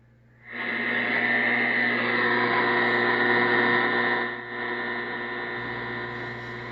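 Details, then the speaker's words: Receiver audio on 10 meters: harsh steady buzz that dips briefly then carries on, with spikes on the scope; line noise, owner blames power lines on the hill. "I want to make a real short video on line noise. You can see the spikes here on the scope on 10 meters, and you can hear it real good too."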